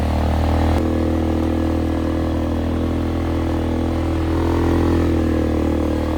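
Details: 2001 Polaris Sportsman 500 HO, flood-damaged, test ride after going through it: single cylinder pulls smoothly with even exhaust note through a loud aftermarket muffler, no knocks or misses; AWD engages, fan cycles, cooling properly; primary clutch engagement delayed.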